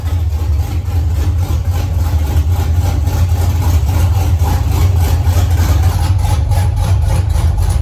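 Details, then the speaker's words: 1983 Mustang with cammed 5.3 LS from 2002 Avalanche and 4L60E, oil pressure 40 psi idle, 70 revved, no leaks: deep loping big-cam idle, even and steady, no misses or knocks; everything runs and sounds good. "So Riley's ecstatic. Everything sounds good. Everything ran good."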